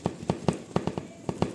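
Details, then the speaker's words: Honda CG 150/160 motorcycle ridden solo without a passenger: sharp plastic knocks, about five a second in uneven bursts, from a loose seat latch, muffled somewhat by seat and thermal covers. "Se você andar na moto só com uma pessoa, sem um garupa, vai fazer esse barulhinho aqui, ó."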